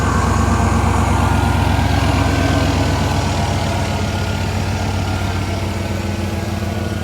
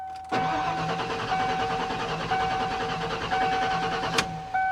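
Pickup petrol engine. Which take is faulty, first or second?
second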